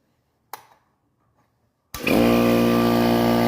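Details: Kobalt air compressor that would not start, now running after its start capacitor was replaced. After a click and a pause the motor kicks on and settles into a steady, even, strong hum; the compressor runs normally and is fixed.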